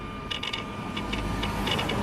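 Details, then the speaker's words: Mercedes SL600 E-gas throttle test: short bursts of rapid buzzing chatter in groups of three over a faint whine as both throttles jump and twitch when opened; faulty E-gas module. "You hear this throttle does the same thing. That's not good."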